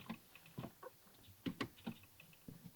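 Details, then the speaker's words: Cummins 5.9-swapped Chevy Silverado with new CNC-cut steel clutch pedal, pivot greased: a few soft scattered clicks as the pedal travels, no squeal or creak; squeak fixed. "squeak. I fixed it because I even lubed up that clutch pedal. It does work."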